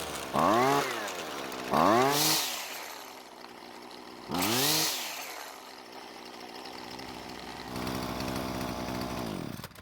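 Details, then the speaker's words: Husqvarna two-stroke trimmer after fitting an aftermarket carb: three blips from idle to a clean high wide-open-throttle scream, dropping straight back to steady idle; normal running, starts and revs perfectly. "so that's all the testing I need to do and the reason why is because it started the way it was supposed to revved from idle perfectly and sounds fantastic at wide open throttle"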